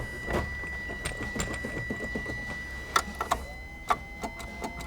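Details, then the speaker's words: 1980 Triumph TR8, manual, clutch down, in neutral, after an owner's failed DIY repair: a few sharp single clicks at irregular gaps with no cranking, so the starter solenoid clicks but the starter won't turn; cause not yet diagnosed. "It's not cranking over. I've got the clutch all the way down. It's in neutral. You can hear it click."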